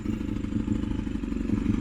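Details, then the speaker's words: Honda VFR400 V4 after a head gasket replacement (the old one cracked from overheating). Rapid steady clacking at low-rpm idle that disappears at high rpm. The owner suspects the top end or valves, unconfirmed. "นี่เป็นไงเสียงกั๊กๆๆๆๆๆๆๆๆเลยแต่เวลารอบสูงครับรอบสูงมันจะไม่มีเสียงนะลองฟังดูแต่พอกลับรอบต่ำรอบต่ำมันจะมีเสียงนะครับ"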